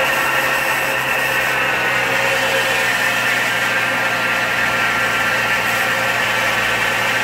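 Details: 2004 GMC Envoy XLT, 4.2L I6, about 250,000 miles, cold morning start in mid-20s °F, oil pressure gauge fluctuating: idle with constant gritty whir and faint high hum; bearing-like noise persists despite new tensioner and idler pulleys, source unclear.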